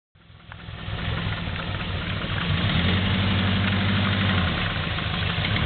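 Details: Subaru GL turbo driving in mud at low revs: heavy regular knock about four per second under the running sound, a loud rod knock; motor is on its way out but still running.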